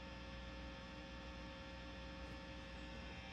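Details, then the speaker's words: Matchless Lightning Reverb tube amp after repair, master volume full: faint steady mains hum with a little hiss, no crackle; filter cap ripple not the main cause, residual noise mainly from unshielded chassis; acceptably quiet. "and the noise predominantly is from being in an unshielded chassis see that pretty quiet now"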